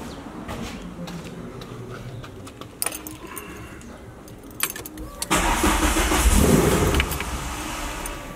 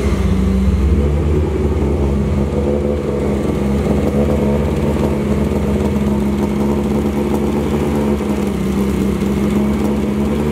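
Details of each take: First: MK1 VW with swapped 2L 8v engine, first start after oil priming, third attempt: jangling, then a short steady crank of a couple of seconds that never catches; retarded ignition timing, fixed by turning the distributor to advance it. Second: MK1 VW with swapped 2L 8v engine after first start, distributor advanced: strong, even four-cylinder hum for ten seconds with no knocks or ticks, oil pressure around 4 bar; healthy, though idle is not yet perfect and needs a remap after a throttle body change.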